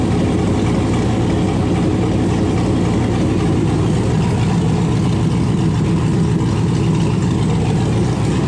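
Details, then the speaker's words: LS-swapped 1971 Impala. The engine catches and settles into a steady, even V8 rumble with no misses or knocks. Normal idle. "so finally it runs it's got oil pressure"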